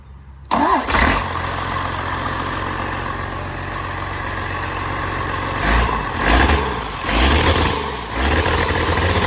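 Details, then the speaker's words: 1993 Dodge W250 with an intercooled Cummins diesel, reportedly 120,000 miles, started for the first time since purchase with no exhaust fitted: a brief crank, then it catches into a steady, loud open-pipe idle with a few blips. It runs smoothly and normally. "Bye. Go. No exhaust."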